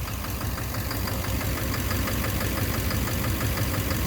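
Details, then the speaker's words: 2009 Chevrolet Duramax LMM diesel dually at idle: steady knock about three a second over low rumble, seeming to come from back of motor; owner suspects injector or cracked flex-plate. "Pretty much need to figure out where the sound's coming from. It sounds like the back of the motor."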